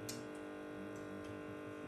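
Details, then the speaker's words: Philips PerfectCare 8000 steam generator iron running: soft, steady, unhurried ticking from its pump over a faint low hum, a normal pump sound that is quieter than the Calor Pro Express Ultimate+. "la pompe du philips qu'on entend ces patients vont entendre celle du lac alors qui est quand même un peu plus bruyant"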